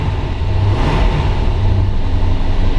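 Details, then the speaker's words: 1968 Dodge Charger R/T 440 with 727 TorqueFlite, not yet warmed up, oil pressure about 60 psi: deep, even rumble with a slight lift in revs and no knocks or ticks, a healthy big V8 idling cold. "Oil pressure's about 60 pounds. We really haven't warmed the car up."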